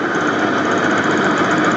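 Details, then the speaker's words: 1989 Ford F250 truck running again after a new fuel system (tank and pump replaced): a steady, even rumbling idle with no knocks or misses and decent oil pressure. Normal idle. "decent. We have a runner."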